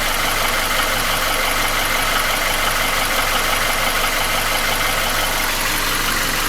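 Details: Nissan QG16DE engine without hydraulic lifters, idling: light regular tapping about three per second, felt between cylinders 1 and 2 at front of block; began 1.5k km ago, after piston rings, oil rings, timing chain and guide replaced 2k km ago; oil change didn't help; gone when revved. Cause unknown.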